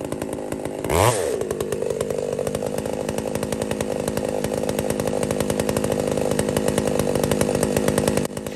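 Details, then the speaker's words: Poulan 655 chainsaw bucking a big cedar: screams up sharply and holds a high, buzzy, slightly thin pitch under cut; owner thought it might be a little lean and richened the carburetor. Lean running suspected, not confirmed. "I fatten it up a bit here, friends. I just thought that might have been a little lean."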